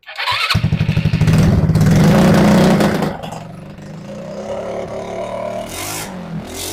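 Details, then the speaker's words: RPS 150cc sport ATV carburetted single-cylinder, brought in not running, cold start: catches, revs briefly, settles to low slightly uneven idle; suspected too little fuel at idle, idle screw to be opened. Low idle speed. "I think we need more fuel at idle maybe so so let's open up that idle screw a little bit"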